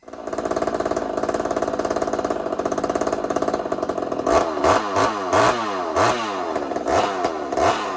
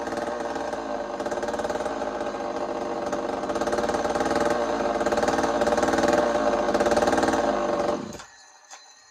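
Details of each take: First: Chainsaw on first fire after rebuild: screams at steady high revs, then irregular heavy bangs and stumbles; a connecting rod bolt broke and jammed at the crankshaft, nothing past the piston. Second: Chainsaw ("Tasman saw") running again after repeat work following a broken-bolt failure; steady high-revving two-stroke snarl holds even and clean for eight seconds before shutting off; owner says it sounds healthy.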